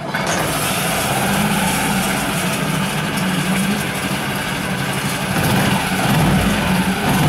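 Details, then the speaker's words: New Yamaha 4-stroke 5 hp (6 hp) outboard, first runs in water, idling with slight throttle: steady even beat, no knocks or rattles; runs normally with no extraneous noises. "в общем yamaha как yamaha никаких посторонних звуков не слышно"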